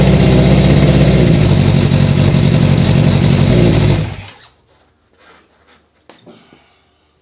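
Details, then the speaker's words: 1980 Honda CB650 four-cylinder bobber. Even, steady burble at a fast idle for about four seconds, then shut off. It runs clean now; the low idle was raised with the idle-adjust screw, and it sounds good off choke. "it's running way better. Even when I turned the choke off, it sounded good. The idle was pretty low, so you saw me turning right here."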